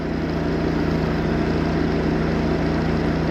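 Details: Chevy 250 inline six on first start after the reversed distributor firing order was corrected: fast, steady cold idle on choke, even firing without knocks or misses, vacuum about 16-17; running properly.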